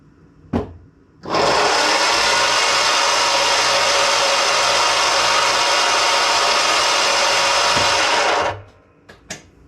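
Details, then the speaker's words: Ryobi riding mower electric blade motor, test-run during repair: spins up to a steady, even high whir for about seven seconds, then winds down cleanly; the motor works fine. "Nice, so it looks like the motor does spin, so that is fantastic."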